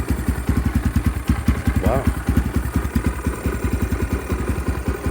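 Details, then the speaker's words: 2022 X-Pro Templar 250cc (DB-K012, 5-speed) just fitted with a Nibbi PE30mm carburetor, no choke: single-cylinder fast idle hunting between about 1000 and 1500 rpm, against a target of 900–1000 rpm; the idle is set too high and unstable. "maybe a little it's a little higher than I left it so yeah it looks like it's bouncing back and forth between I don't know if that's I mean it goes from one what is it between one and 1500"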